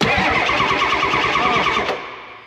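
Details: 1994 Ford F350 diesel that was non-running from a fuel issue, cranked after priming: fast, even starter churning for about two seconds with no firing, then winds down; cranks but won't start.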